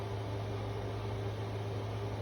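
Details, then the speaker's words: Anker Powerhouse 767 running a small 5,000 BTU AC unit after a firmware update through the app, which fixed early units not running some appliances: steady low hum, even fan rush, constant tone, no rattles or cycling; cooling normally. "so far so good sounds good air conditions feel like it's cooling like it should so I'm going to let this run for a little while make double Shore"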